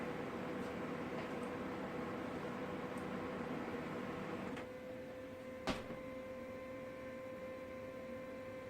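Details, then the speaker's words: Brother HL-2280DW laser printer just powered on after installing new toner cartridge: steady whir with faint hum and light clicks, then brief clack as it quiets to low idle; normal warm-up reaching ready. "And as you see, she's firing up. Going for a warm-up phase."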